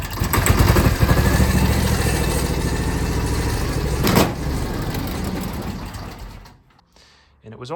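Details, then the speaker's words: 2006 John Deere X720, 722 hours, V-twin: uneven, stumbling beat with dropped firing pulses before dying; right cylinder misfires after an hour of hard mowing, fine when cool; plug swapped, cause unknown. "it would start missing on the right side cylinder here and what I would do is I could pull the plug wire off that side and it would drop out"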